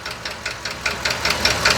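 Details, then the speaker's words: 2020 Ford F53 motorhome chassis with the 7.3 V8 gasoline engine, code P0301 cylinder 1 misfire, knock that began while driving: sharp ticks about five per second at idle, loudest at cylinder 1. The mechanic suspects the valvetrain under the valve cover. "Yo lo escucho este es el cilindro número 1. Como por aquí está el ruido, podemos decir, ¿verdad?"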